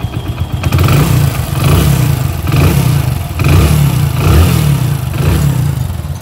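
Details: Hero HF Deluxe single-cylinder bike after engine rebuild: idle then repeated blips, revs rising and falling cleanly with a steady deep beat and no knocking; sounds like a new bike, normal revving.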